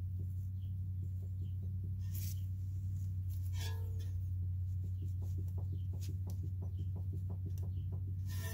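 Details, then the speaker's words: 2009 Acura MDX, original front sway bar end link at almost 140,000 miles, passenger side, wheel off and vehicle lifted: light repeated clunks about four a second when barely rocked by hand; worn, loose end link causing clunk over bumps, fixed by replacement. "barely putting any pressure on it and it's making noise"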